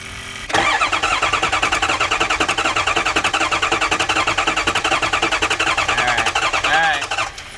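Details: Ford 6.0 Powerstroke diesel crank no start, cranking with fuel pump fuse pulled: steady cranking about 3.5 beats per second for seven seconds, never fires; no bubbles seen, ruling out injector O-rings.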